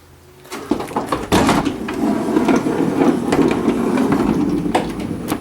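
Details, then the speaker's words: 2005 Honda Odyssey passenger-side power sliding door: the motor drones through its travel with uneven scraping and bumping along the track, from a worn sliding roller hinge to be replaced. "Hear it scraping along and stuff. What's happened is we're going to replace this piece. It's the hinge, sliding hinge."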